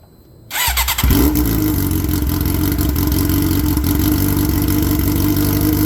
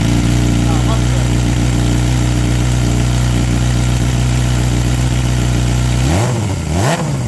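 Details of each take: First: 2007 Suzuki GSX-R 600 with muffler broken off in a crash, after sitting a couple weeks: fires on first crank into a harsh, very loud, raspy unmuffled idle; essentially a straight pipe, likely untuned, hurting power and efficiency. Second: 2007 Suzuki GSX-R 600 four-cylinder fitted with a cheap aftermarket muffler after a crash broke the original. Steady smooth idle, then clean throttle blips rising and falling freely; runs healthy.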